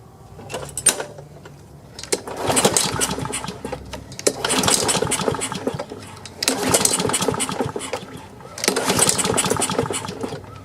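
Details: Free Craftsman self-propelled push mower, before repair, with a very dirty air filter, gas and oil, pulled on choke: repeated pull-cord cranking bursts about every two seconds, never catches; no-start, needs carburetor cleaning.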